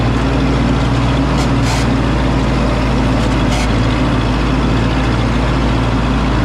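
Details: 1952 Ford 8N tractor, gravity-fed fuel, in neutral, after replacing the whole carburetor to cure stalling at idle and under load: deep, even, steady chug with no stumbling or dying; it ran 20 minutes in the field without dying.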